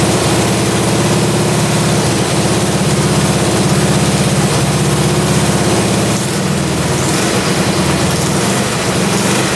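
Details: Russian Dnepr military boxer twin sat 30 years in a barn, just after carburetor adjustment and start; even idle thump with a slight rise midway, firing cleanly without stumbles; normal idle.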